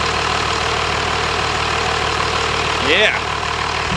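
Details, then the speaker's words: 1997 Dodge Cummins 12-valve 215 hp diesel pickup with a wrecked front, running after a drive: steady, even rumble with no knocks or misses, the engine running cleanly. "so that thing just purrs like a kit you wouldn't think you could drive a truck to look like that"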